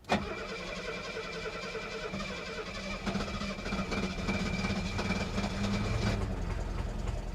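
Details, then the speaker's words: 1972 Mercedes 250 at auction after sitting for months, cranked after letting the fuel pump prime: steady starter cranking at about three to four turns a second with a few weak attempts to catch; hard start, long cranking without firing. "she's alive oh she tried she tried to start come on baby you can do it"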